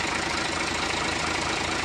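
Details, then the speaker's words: Hino Lohan 500 FM 260 Ti truck J08E diesel just reassembled after overhaul: even diesel clatter at steady idle, no irregular knock or miss, described as very smooth; normal idle. "untuk bunyinya sangat halus yakni sang"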